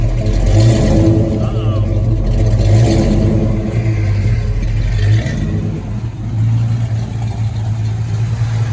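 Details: 1986 Ford Mustang GT, original, long-sitting, barely running: uneven, lumpy beat stumbling as revs rise and fall; owner suspects misfire, fuel filter possibly never changed; rough running, cause not pinned down.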